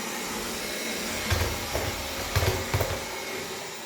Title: Irobot grinding noise